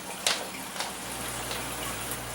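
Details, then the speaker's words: New Eheim Professionel 4+ 350 canister aquarium filter just primed and started after install: quiet steady low hum under soft water trickle, no rattle or gurgling; running normally. "so it's running now. I think it looks great."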